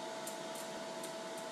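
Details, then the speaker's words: New Lincoln Aspect 230 AC/DC TIG welder, DC pulsed welding of 304 stainless at 1,000 Hz pulse: steady piercing high buzz over hissing arc, no popping; normal but loud, earplugs advised. "so you can tell how annoying that is you're definitely gonna be wearing earplugs if you're welding with that setting"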